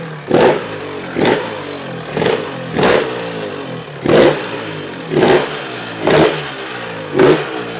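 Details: Honda RS 125 GP two-stroke first started after 20 years, with the carburetor cleaned; sharp, crisp throttle blips about once a second, each climbing and dropping cleanly, so it is revving freely and normally.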